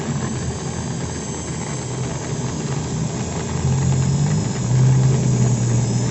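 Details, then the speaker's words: Maktec 10mm drill at slowest speed gives a rough, snoring growl that is absent at high speed; armature rubs a loose stator, making the body overheat; pressing the body's middle smooths the sound. "di putaran RPM rendah terdengar Suaranya ngorok ya, jelas banget suaranya kasar."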